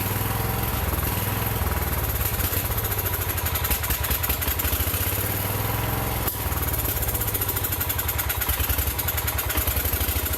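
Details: John Deere 110 garden tractor saved from scrap, first run after jumping a real battery, with points smoked by a wrong-side coil jump: even, steady firing beat with a brief dip, light smoke from oil put in the cylinder, no knocking or rattling; fuel system still dirty.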